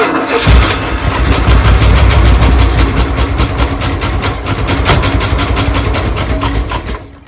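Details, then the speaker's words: 1983 Dodge Prospector with a freshly swapped-in 360 V8, first start attempt: the starter cranks steadily but the engine never catches and dies away. It is not getting fuel, and a fuel line problem is seen afterward. "Let's see if it makes some noise. Needs to draw fuel first. Oh, it's starting to draw fuel."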